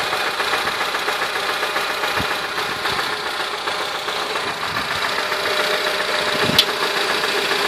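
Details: 2008 Honda Civic petrol engine at idle: dull, fairly steady knock over busy mechanical clatter. Owner calls it a bad bearing noise, present and unchanged from 170k to 185k km. Cause not confirmed.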